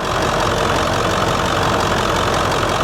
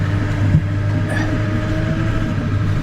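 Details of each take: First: 1999 Ford F350 7.3L PowerStroke turbo diesel, about 200,000 miles, warm idle during blow-by test: steady, even diesel clatter with no misses or knocks; no blow-by found, no leaks; healthy engine. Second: 1999 Ford F350 7.3L PowerStroke diesel, driving on the road: faint steady whine over diesel and road rumble, some front-end clunking; power steering still whining though improved, steering doesn't return to center.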